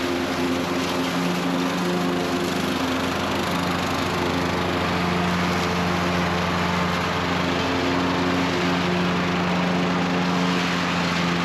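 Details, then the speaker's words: Cub Cadet riding mower after no-start repair: small engine holds steady, even drone at constant speed with no hiccups, stumbles, surges or misses; ran perfectly. "So the Cub Cadet worked really well. Had no hiccups, no stumbles, ran perfectly."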